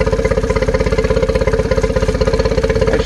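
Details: 2013 Yamaha 9.9 four-stroke outboard on garden-hose flush: quick, even putter with steady mid-pitch note, no misses or stumbles; smooth healthy idle, measured 800 rpm against 800 spec.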